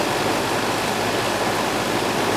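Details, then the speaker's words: Old Goodman AC condenser outdoors, after replacing a weak capacitor: the compressor now runs and warm air blows from the top. Steady, even fan whoosh over a smooth compressor hum, no buzzing or clicking; running normally. "russell's running now i could hear it and the warm air is coming out capacitor was weak"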